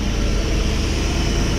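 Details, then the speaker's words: 1987 K5 Blazer small-block V8 with TBI, first start after rebuild, running cold without coolant on 10-year-old fuel, with good oil pressure. Low, smooth, even V8 rumble with no ticking, knocking or rattle; a normal, quiet idle. "look at them oil pressures oh and listen how quiet it is blows my mind"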